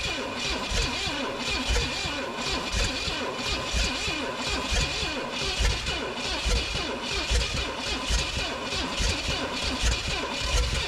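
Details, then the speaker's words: 1969 Pontiac GTO, apparent Pontiac 350, sat about 35 years, fed brake clean. Cranking with lumpy pops about once a second, only about one cylinder catching, so it badly misfires and won't run. "Oh, it's running. Very badly, but it did run. Ran for, I don't know, 4 or 5 seconds. But man, it's missing at least 2 cylinders."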